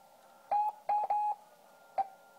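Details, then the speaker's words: HamCan transceiver first power-up, headphone output through small amplified speaker: short keyed CW tone bursts around 750 Hz with pitch sliding within each; warbly, unstable transmit about 2.5 kHz off nominal crystal frequency, drifting severely downward; receiver only clicks. "but frequency drifts pretty severely as it goes down in frequency"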